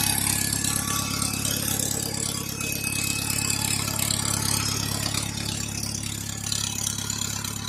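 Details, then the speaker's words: Cold tractor, sat about 2.5 years, at idle with choke locked; thin steady whine over rattly idle, unchanged with engine: hydraulics sucking air after fluid leaked out, rear end seal needs replacing. "They make the worst noise I've ever heard. You hear them whining right now."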